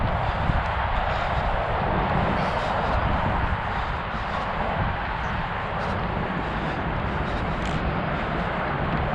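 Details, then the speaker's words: Rebuilt Traxxas XO-1 RC car after a crash nearly 2 years ago, running down the road at speed; constant coarse grinding rasp under the motor whine, drivetrain grinding, cause not yet identified. "horrible sound when you hear that going down the road, the grindy sound. It's just, oh, I hate it."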